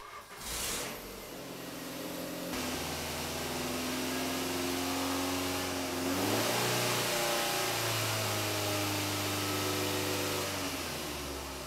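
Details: Engine at 300,000 km that made noise at 2000-3000 rpm, test after replacing the defective timing belt tensioner: picks up cleanly from idle, pitch rising and falling smoothly with no knock or rattle; normal revving after repair.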